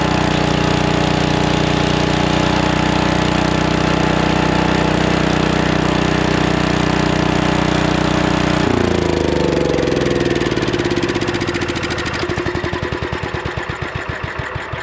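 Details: Lincoln Weldanpower 150 welder-generator, probably 1980s, sitting at least 12 years: single-cylinder engine runs with a steady even beat, then slows and coasts down to separate firing pulses; sounds healthy.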